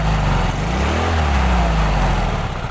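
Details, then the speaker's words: Yamaha Mio carburettor automatic scooter after engine rebuild with new cam chain, conrod, camshaft, tensioner and piston: steady, even single-cylinder putter at fast idle, no knocks or rattles, exhaust no longer smoking; normal running. "Motornya sudah halus karena kamrat, stang, loken as, templarnya sudah diganti ya."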